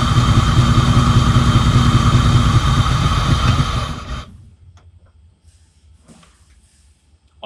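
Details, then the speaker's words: 1988 Ford Mustang GT T-Top after years sitting, just after distributor repositioning: runs with a strong, even low rumble for about four seconds then shuts off cleanly, no misfire or stumble. "how exciting is that to hear this motor run after all those years"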